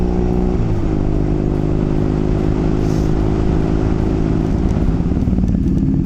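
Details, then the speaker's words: 2014 Triumph Thruxton 900 pulling away with new EMGO pipes and wrapped headers. Steady, even twin-cylinder rumble rising smoothly, with no rattles or popping; much quieter and better sounding. "much quieter all that sounds so much better"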